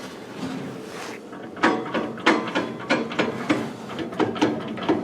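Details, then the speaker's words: Land Rover 110 worn universal joint, turned by hand: irregular dry clicks and clunks with play; the diff is thought not to be at fault. "Now, this universal joint, it's trying to send a message home. That's no good."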